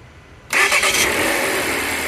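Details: 2015 Volvo S60 no-start that only clicked, starting after bypassing the fusible link/signal fuse; new starter and battery fitted. Brief crank, engine catches at once and settles into a steady, even idle. Normal start.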